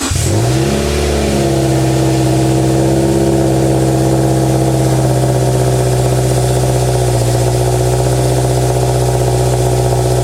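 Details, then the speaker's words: Subaru Impreza with cracked catless UEL headers, cold start; engine catches and settles into steady, even high cold idle, smooth exhaust note, no ticking or puffing from leaks heard; normal cold start idle. "So I'm gonna do a quick sound check for you guys. Doing cold start. I'm gonna check for any leaks, but in case this sounds good, I'm gonna put it right here."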